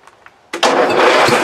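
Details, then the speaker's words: Riding mower started at full throttle with a DIY booster cable from a 3S LiPo that isn't fully charged, drawing over 40 A: short crank, catches at once, steady even drone; healthy start. "okay so it started no problem"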